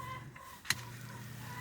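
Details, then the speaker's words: Greenhouse rainwater pump with flow adjuster turned up from setting 2 to 3: single click then a steady electric hum and low drone, sounding faster, smooth and even; normal running at higher flow. "Ooh, yeah, it sounds like it's running faster already."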